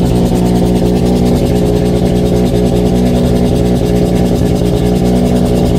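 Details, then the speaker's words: Mazda RX-7 FC3S rotary, flex fuel, Haltech Elite 1500 idle control with BAC valve set to 10 Hz, 60% max output, before tuning: fast, even, buzzy idle, steady but well above normal speed; high idle. "I dropped it down to 10 Hertz and 60% output max. Those are the main things that I changed, and it does still idle very high, but the point is we can get it fired up and idling even with this flex fuel setup before we've seen the tuner."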